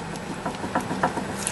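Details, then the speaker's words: Small dull clicks, about two a second, as a worn sway bar link with ripped rubber boot is rocked by hand; water got into the joint causing play, much louder over bumps at speed; link to be replaced. "that little bit of play when you hit a bump, of course, at a high speed. It's considerably louder."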